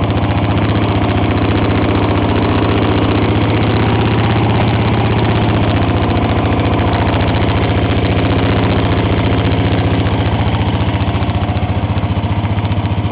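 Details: 1954 reel mower with a restored B&S 6S 1.6 hp engine with new exhaust, alongside a 1984 Montgomery Ward B&S 3.5 hp TMO-37425A with a fallen stack, so rear exhaust. Steady, even single-cylinder putter, no misses or surging: normal running.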